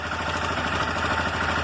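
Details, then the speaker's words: Motorcycle small single idling with light metallic chattering after running a while; loose cam chain slapping, stops when the tensioner is pushed with a screwdriver; failed cam chain tensioner actuator. "Então o problema aqui da motocicleta, dela tá fazendo esse barulho, é o acionador aqui, ó, do tensor da corrente de comando."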